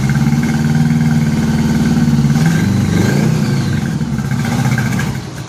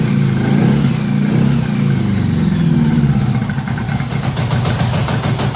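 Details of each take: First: 1983 Honda Gold Wing after new head gaskets, first run with no coolant. Lumpy, stumbling beat at about three to four pulses a second, uneven and sagging, only a couple of cylinders firing; coils and wires already replaced: misfire. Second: 1983 Honda Gold Wing flat-four after new head gaskets and fresh spark plugs, no coolant yet, moisture still in it. Settles into a steady, fairly even fast idle, running cleaner, though the long-sat carburettors probably still need sorting: rough but improved running.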